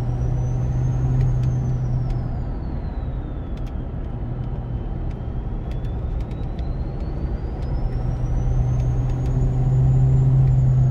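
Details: Ford 6.7 Powerstroke with MPD compound turbo kit, about a thousand miles on setup, heard from inside cab, windows up, climbing a mountain: clean turbo whistle rising and falling with throttle over deep diesel drone; normal compound spool.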